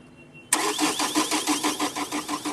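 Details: Chevrolet Cruze with no stored DTCs: steady cranking about five to six turns a second that never fires; starts once an extra earth wire is added, traced to a bad earth.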